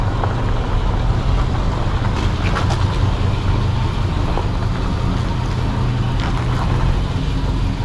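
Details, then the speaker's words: 1937 Ford panel truck, barn-stored with no brakes, started after cranking on a low battery: low, steady, even rumble with no knocking; it smokes, and the mechanic suspects it runs a little rich; good oil pressure. "She's a little smoky. I think this thing runs a little rich, actually. Sounds good though. It turns nicely."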